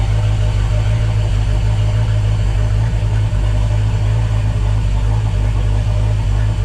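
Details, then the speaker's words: Volvo Penta 5.0 GXi after a new TPS and MAP sensor, injector checks and a compression test, coolant at 21, 12.1 V, fuel pressure lower than 40-50 with a different regulator: deep, low, lumpy idle. It runs slightly better but still rough, then stalled. "I tell what to say started seemed to run a little bit better than before"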